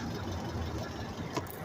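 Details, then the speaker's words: Car idling after an exhaust leak was sealed with sealant and left to dry 30 minutes: a steady, even low rumble with no hissing or ticking puffs, the exhaust now sealed. "I'm just letting you to hear how it sounds now. Since I fixed that issue, I'm trying to see where it's at so I can show you."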